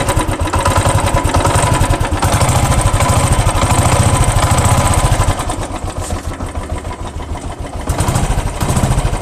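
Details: 2012 Royal Enfield Classic 350 single-cylinder at idle with an uneven, rough thump and extra mechanical clatter; abnormal engine noise, cause unclear.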